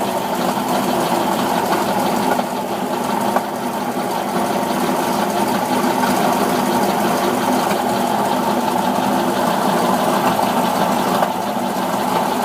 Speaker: Cold engine. Bad knocking, bad knocking. Even at 1600, it's knocking.